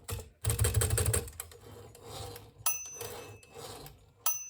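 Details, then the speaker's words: Hermes 3000 typewriter after the carriage was reinstalled to fix a grinding carriage: a quick rattle of clicks, then smooth carriage travel with clear margin-bell rings, a normal and healthy carriage sound. "The bell works fine. And there's this is a normal and healthy carriage sound."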